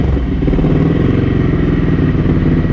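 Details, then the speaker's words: Ducati 900SS bevel twin with 55 idle jets, 135 mains and stock K5 needles, during AFR jetting tests. Cold on choke, it gives a loud, fast-pulsing lumpy idle with a harsh bark through the special, much noisier exhaust headers and no odd knocks. "is with these special exhaust headers that are a lot noisier."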